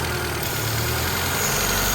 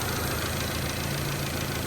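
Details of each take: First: Honda CRX with idle surge, incorrect PCV valve installed: steady idle around 1300 rpm under a loud, even hiss as the valve pulls too much vacuum. The correct PCV valve is quieter and lowers rpm, and it fixed the surge. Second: Honda CRX petrol engine idling with the correct PCV valve fitted, replacing a wrong one that caused a vacuum leak and idle surging: smooth, steady idle with only a faint intake hiss and less vacuum noise.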